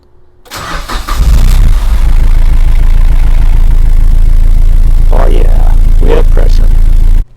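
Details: Engine in the Seven after fitting a RaceLine oil pan and filling 5 quarts of 5W-20, first start: starter whirs briefly, then catches and settles to a steady even low idle without knocks; oil pressure good, though the pan leaks slightly at the back.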